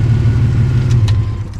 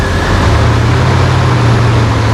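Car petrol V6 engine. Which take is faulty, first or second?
second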